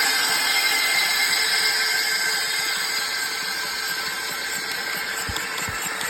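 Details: Mercedes Sprinter 319 OM642 (642.896) V6 diesel running: sharp metallic tapping near four per second over a hissy high-pitched background; knock source unclear.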